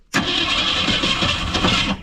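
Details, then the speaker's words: Ford 260 V8 in a 1964 Ford Fairlane 500, first start after 29 years sitting: catches with a sharp pop then runs rough and loud about two seconds; backfire on startup, suspected too much fuel, timing questioned. "oh yeah that did sound good she backfired yeah she back and that won't oh don't do thatat won't go down we had too much uh gas in it"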